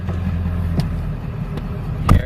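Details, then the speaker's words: Ford F350, 283,000 miles, replacement transmission about 120,000 miles, torque converter 8,000, refilled with about 4 gallons fluid; deep engine drone lugging under load then firm clunk as gear takes up; reverse and forward engage. "Hear it lugging, that means it's working. We got reverse. And we got forward. It works."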